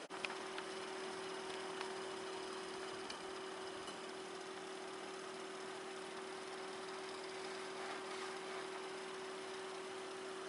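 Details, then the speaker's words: Montgomery Ward Hydromatic fan-forced radiant heater, fan motor plugged into straight power during wiring repair: steady low hum with faint rasp, no rise in pitch; fan turns slowly, short of full speed, cause suspected. "Well, for poops and giggles, let's just plug this fan into straight power and see how powerful it is. Come on. Oh, it doesn't spin very fast."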